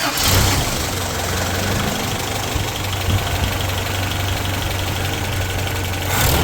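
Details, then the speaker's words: 1985 Toyota pickup 22R four-cylinder, sat over 10 years, idling after exhaust manifold leak fix with new bolts and washers: steady low rumble, no ticking or puffing from manifold; doesn't sound like it's leaking, exhaust very quiet from the rear. "all right I think that fixed it and it doesn't sound like it's leaking it's not nearly as loud if it is uh exhaust sounds very quiet as well from the rear"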